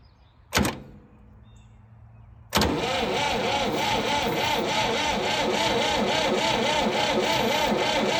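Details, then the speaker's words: Late-1960s/early-1970s Massey Ferguson 2200 forklift, Perkins 3-cylinder gas engine, sat 23 years: sluggish, labored cranking with no start; spark confirmed at the plugs, owner suspects it isn't cranking fast enough or lacks fuel. A seized water pump was later found dragging the starter. "Okay, so I did verify that we're getting spark to the plugs with an old chainsaw plug. So I guess we're not cranking enough on her, giving her enough fuel or something."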